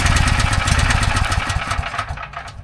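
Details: Briggs & Stratton 6,250 W gas generator, oil level checked OK: rapid chuffing recoil pulls with uneven compression puffs that fade, turns over but never starts; fouled spark plug.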